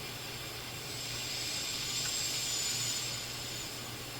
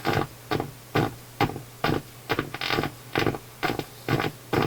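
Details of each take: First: Even though we're just listening to noise between stations, certainly hear the bass effect. Volume. Okay, no question. On AM, this thing sounds just fine. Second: Philips console stereo receiver on FM after a wire was resoldered, AM sounds fine; harsh, buzzy chopped audio over steady mains hum, badly distorted output; suspected an improperly biased vacuum tube rather than an IF fault, treble control also implicated.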